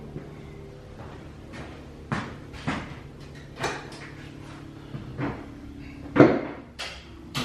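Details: Lifted limo golf cart on jack stands after installing a used replacement rear axle: uneven clunks and knocks every half second over low motor hum, louder than the original axle noise; diff to be drained and inspected.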